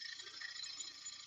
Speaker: no I'm getting a bit of can you hear the chatter I'm getting on there yeah yeah that's that's cuz again I was being cocky